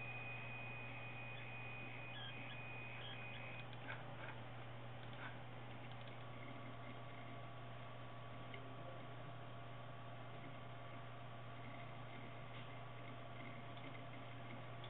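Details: Tagan Piperock BZ-700 computer power supply after two years of use: faint steady high-pitched whine and squeal over a low electrical hum; cause suspected, not confirmed.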